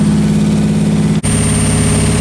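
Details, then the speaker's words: Nissan 300ZX idling after alternator replacement, excess wiring removed and coolant leaks fixed: deep even idle rumble with no misses, knocks or rattles; owner earlier wondered about a misfire but says it isn't smoking and sounds healthy; a leak remains somewhere. "so yeah it's not smoking it just still sounds healthy"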